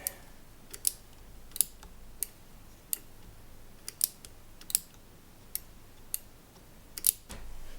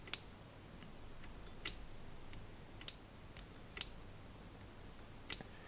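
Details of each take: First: Yamaha CR-1000 receiver switch after bending its bracket to fix half-clicks: crisp, even single clicks as the knob steps round; switch now clicking normally. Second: Yamaha CR-1000 receiver, microphone control rotary switch: five crisp clicks in a quiet room, but the detent only half engages and activates properly only when the knob is pushed to one side; the fix is bending the switch bracket.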